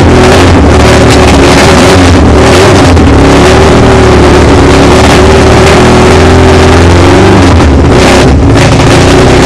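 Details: VAZ 2108 with a 16-valve engine and individual throttle bodies: loud, steady idle with a deep even drone and sharp intake bark; holds speed without hunting or missing, normal idle.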